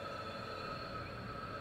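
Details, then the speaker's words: Nissan 240 KA24DET leak-down test, mic aimed at the exhaust: steady even hiss of escaping air; owner suspects bad exhaust valves and possibly a head gasket, gauge showing 100% leakage. "so yeah it sounds like my exhaust valves are bad also so if you guys can hear that like hissing noise"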